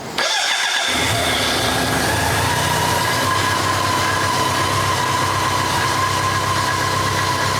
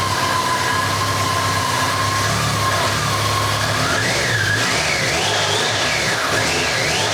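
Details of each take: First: BMW K100 motorcycle project bike, not running before, started with a bit of choke: short crank, catches and settles into a steady even idle with no misses; owner notes a vacuum leak somewhere and fuel leaking out. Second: BMW K100 motorcycle just started on choke, running roughly with a wavering whistle that wanders up in pitch; a vacuum leak is suspected somewhere and fuel is leaking out.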